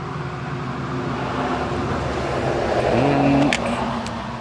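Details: Stihl FS45 two-stroke trimmer after carburetor work: small two-stroke buzzes at steady even speed with no bogging or surging; running cleanly.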